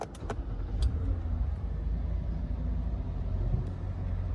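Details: Toyota Highlander just after a dead-battery replacement: first start attempt died, then the engine catches and settles into a steady, even low rumble with no misses or knocks; normal idle (owner notes idle may be rough for a while after battery replacement).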